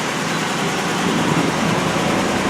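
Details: 1991 Pontiac Firebird Formula WS-6 with replacement Jasper V8 (about 32K miles), Edelbrock TBI intake, stainless headers, Flowmaster then Dynomax exhaust: steady, even idle, no knocks, ticks or stumbles over a background hum; normal.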